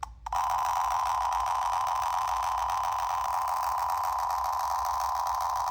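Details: Homemade class-D amplifier (STM32, 200 kHz PWM, LM5109 half-bridge, 4-ohm speaker) playing SD-card audio: steady thin, nasal midrange tone with almost no bass; output high-passed by undersized midpoint capacitors.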